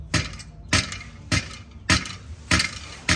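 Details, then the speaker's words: Removed clutch pressure plate from a car whose gears would not engage when hot, shaken by hand; loose rough rattling about every 0.6 s, heat shifts the diaphragm and internal rings, plate worn and due for replacement. "esa razón es que ya no sirve este plato a la hora de que va trabajando se calienta entonces tanto el diafragma como los anillos que lleva acá por dentro también de posición y eso hace que no entre la velocidad"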